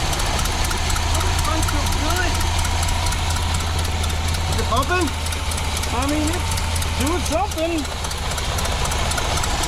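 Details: 1986 square-body truck parked nearly 20 years, first run after plumbing the fuel return line and plugging vacuum: steady low engine drone holding even without surging or dying over ten seconds; normal idle, fuel getting through.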